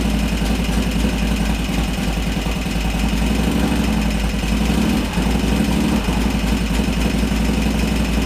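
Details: 2001 Harley Sportster 1200 conversion, Wiseco 10:1 pistons, idling after an Andrews N2 cam and S&S lifter install: loose, lumpy V-twin idle with an uneven low thump and a busy top-end tick, settling steadily with no knock or miss.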